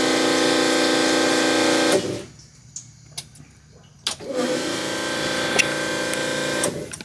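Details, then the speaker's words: Minivan with a newly fitted Fuelab Prodigy brushless fuel pump, part 42402, on its first prime with E fuel: a loud, steady electric whine with a buzzy edge runs two seconds, stops, then returns evenly as fuel circulates back; healthy priming. "Alright, so I hear it going back into the cell now. I think we've got it primed."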